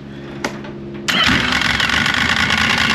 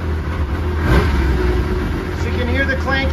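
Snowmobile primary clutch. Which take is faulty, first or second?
first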